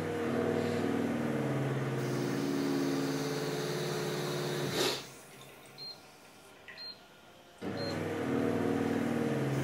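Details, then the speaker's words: Osminion Slim Mix reverse-osmosis filter with inlet valve closed, pressure unchanged but too little flow: pump hum drops away, short high beeps sound with Fault flashing, then normal hum returns once the valve is reopened. "L'Osminion Slim Mix a un indicateur d'erreur, lorsque l'installation ne reçoit pas assez d'eau, elle fait ce bruit, et l'indication "Fault" clignote sur le panneau avant, accompagné d'un signal"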